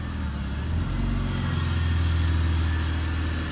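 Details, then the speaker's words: 2000 BMW 528i idle after a valve cover gasket oil-leak fix: low drone swells and sags, normal at first start then fluctuating; cause unknown. "I just first start the car up it would just be normal and then it would fluctuate the idle and it was very annoying"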